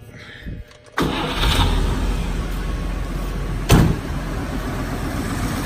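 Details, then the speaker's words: Stock four-door Chevrolet Fleetline with an apparently rebuilt engine: quick crank catches within a second and settles into a low, smooth, even idle with no misses, knocks or smoke, healthy running. "it doesn't smoke it doesn't Mack nothing it just is smooth sounds like a dang sewing machine running"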